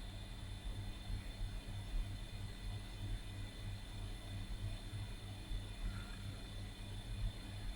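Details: Old 286 PC from a flea market, hard drive set to 980 cylinders, 5 heads, 17 sectors in BIOS: steady low hum with a faint high whine from the spinning platters, no obvious seek ticks; the drive spins normally but reports a missing operating system.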